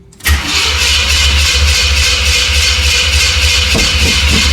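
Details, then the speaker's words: 1977 Chevy C10 V8, second start attempt after steering gear box swap with a previously empty fuel filter: brief crank, then it catches and settles into a steady, even idle, no knocks or misses; oil pressure gauge working; normal start. "Ooh-wee. Oil pressure gauge is working too. Ha! Second try wasn't too bad."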